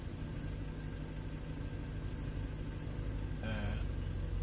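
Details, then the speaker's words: Engine on an Arduino spark piggyback delaying the crank signal to the ECU, timing retarded by potentiometer to roughly six to eight degrees: steady idle turns uneven and lumpy; returns to normal when adjusted back. "can hear that the engine starts to misbehave"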